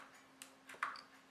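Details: Opened non-working laptop hard drive powered on with platters removed: sparse light ticks and clicks, three or four in a second and a half, over a faint hum as the bare actuator arm seeks; actuator ticking.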